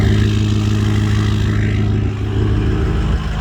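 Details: Ford 6.0 Powerstroke diesel truck after a no-start fixed by replacing a faulty pipe with new oil-lubed O-rings torqued to 60, now running again after a very long crank: deep, even rumble, steady injector clatter, no misses; normal running.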